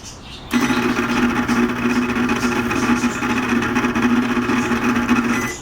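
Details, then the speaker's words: Microwave oven that heats fine makes a steady coarse buzz with a rattling edge the whole time it runs, traced to the turntable motor area; motor to be replaced. "para calentar no tiene ningún problema calienta bien el problema nada más es el espantoso ruido que tiene"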